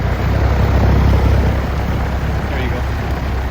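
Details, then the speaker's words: Old outdoor AC condenser unit at a rental house (compressor wire disconnected), fan running after the fan rotation was reversed: deep steady whoosh of air with even hum, no wobble or rattle; the earlier vibration is gone, fan now runs smoothly. "So that tells me it is the right orientation. The also you can notice the vibration is gone."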